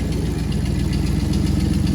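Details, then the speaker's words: Truck's V8 idling after sitting 30 years and a burnout, muffler hanging loose underneath: deep, steady burble with even firing pulses, no misses or surging; it actually runs, stable idle. "Look at it, just running. That's awesome. That is crazy. Well, it actually runs."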